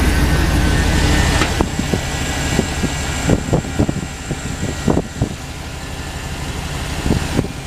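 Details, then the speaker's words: Crawler hauler truck V8 after exhaust repair and a new flex plate: steady low idle rumble with an even beat and a few stray knocks, no longer stumbling. "I feel a little stumbled but definitely don't feel like it did before oh yeah it feels nice and smooth now"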